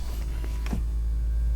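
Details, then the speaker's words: Classic (non-Autopilot) Tesla Model S brake vacuum pump running to refill the vacuum canister, recorded on a lapel mic with electrical feedback partly masking it; steady, even low hum, normal operation, absent on Autopilot 1.0 and newer cars. "that was the vacuum pump running and that's a noise you will no longer hear in the new autopilot enabled cars autopilot 1.0 and newer"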